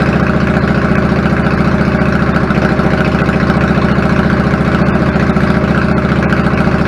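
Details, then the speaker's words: 1999 Yamaha V-Star 650 Classic, 650cc V-twin with twin carbs and 16K miles, after cleaning pilot jets clogged from sitting and adjusting the idle: a steady, loping, unbroken idle with no stumbling; fixed. "smells a lot sounds good settles back of it I'm fine with it babies are fixed"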